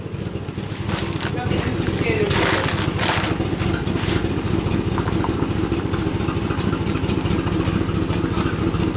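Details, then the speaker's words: 1997 Suburban after swapping in a used 1999 5.7 V8 with 118,000 miles, exhaust not yet fitted: even fast exhaust pulses at idle with steady low rumble; earlier small miss seems gone, engine running normally after the swap. "for me and there you have it folks sounds different doesn't it yeah the suburban is now fixed"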